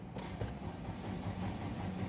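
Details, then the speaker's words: 2024 Nissan Livina with just over 5,000 on the odometer, ignition on and cranking: steady low churn that never fires. The fuel pump wiring at the rear had been cut. "Problema nito ayaw mag-start ang makina o hindi umaandar."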